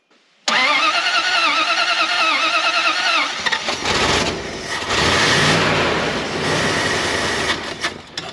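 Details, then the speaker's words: Dodge W300 dump truck, carbureted, gas added after sitting a year: about three seconds of whirring crank, then it fires and runs rough, surging and sagging, not running long; fuel not reaching the carburetor suspected, possibly a failed fuel pump. "seems like the fuel is not getting to the carburetor they're not running long enough it should have might have had a fuel pump that went bad in the past year that is a possibility"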